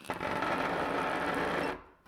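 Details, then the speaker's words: 125 W brushless motor driving Morse taper 2 grinder spindle via 3D-printed gear and toothed belt, on glass: rough buzzy rattle with uneven chatter; belt profile mismatch, one tooth skipping about every 3/4 turn. "The problem is the belt profile. I don't know if you'll be able to see it on camera, but there's one tooth about every 3/4 of a turn that is not meshing correctly."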